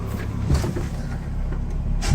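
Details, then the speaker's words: 1978 VW Scirocco with swapped VR6 24v engine being revved after its electrical faults were fixed, possibly with flames from the exhaust. Deep, even note that swells smoothly with revs, no knocks or misses; normal running. "Anyway, holy crap, right? Is that thing running well now or what?"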